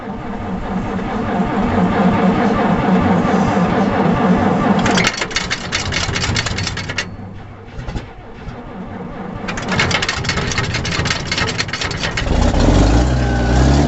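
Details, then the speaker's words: 1956 Hough H-50 loader, 6-cylinder BD 240 engine, after a tune-up with the plugs confirmed sparking; started with the choke pulled partly out and 8 or 10 pumps of gas. Cranking stops after a few seconds and it catches quickly into a steady, smooth idle, a clean easy start. "There you go. That was easy enough. If that tractor will continue to start like that now for a good while, I'll be fine."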